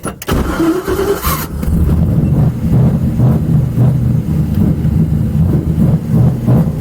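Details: Miata LS-swapped with sludgy 4.8 V8, bigger cam, conservative tune: cranks, catches, then lumpy uneven idle stumbling irregularly; owner suspects idle timing/tune, not confirmed.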